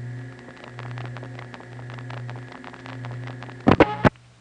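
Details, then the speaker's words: Normal PCI (DC signaling) outpulsing of a seven-digit number, heard from NEptune 4 No. 1 crossbar line, Belle Harbor, Queens, 1974 home-phone tape: steady hum with fast irregular relay clicks, then loud clacks; hard to distinguish from MF. "obviously if you were listening to the trunk though MF would go beep beep beep beep and TC I would go click lick lick lick"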